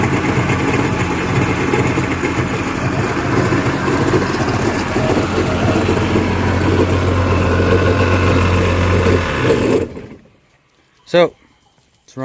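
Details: Yamaha WaveRunner two-stroke after top-end rebuild with new piston and rings, water hooked up: steady buzzy idle for about ten seconds, even and unbroken, then clean shutoff; sounds healthy.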